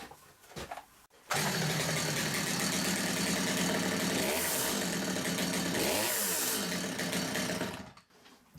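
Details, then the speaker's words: Stihl MS200T chainsaw, fitted with new centrifugal clutch springs, idles slow and lumpy with uneven firing, close to stalling; tick over too low, carburetor idle needs a small tweak so the chain stops at idle. "Tick over's too low. Little tweak."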